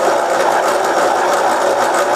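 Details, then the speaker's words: Milling a 90-degree V-block from old forklift tine with an angle cutter: harsh buzzy mid-pitched rattle with fast flutter growing as cuts deepen; chatter from runout in a cheap out-of-round arbor. "ub's they'll my cheap Chinese Arbor what you can hear it have some run out in it and as these cuts get deeper this thing gets louder because of the way the the Arbor is out of round you only have a few hit and so then it starts kind of chattering a little bit"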